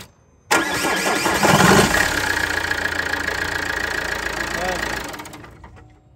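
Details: Vauxhall Zafira start after alternator refit and auxiliary belt reinstall (crank, aircon, pulleys, alternator, tensioner); the starter catches quickly and the engine settles into a steady, even idle with no squeal or slap, a healthy start.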